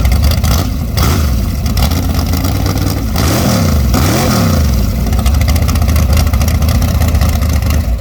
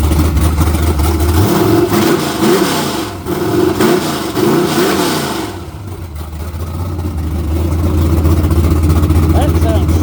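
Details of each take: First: Short-stroke twin-turbo-build big-block Chevy, first fire-up at 18°F, no coolant yet, unboosted, revved to 6,000 rpm: flat, soggy note on blips, super lean; carburetor too small with insufficient pump shot. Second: Chevrolet Camaro with naturally aspirated LS V8 on a modified HP-series carburetor with a large plenum and a cam under 240 duration: lumpy, choppy idle, then crisp revs climbing and falling cleanly; snappy, healthy engine with good ring seal.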